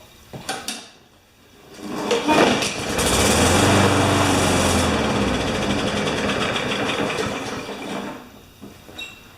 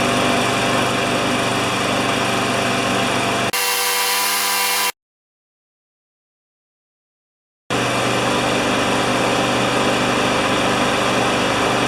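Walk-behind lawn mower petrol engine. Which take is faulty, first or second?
first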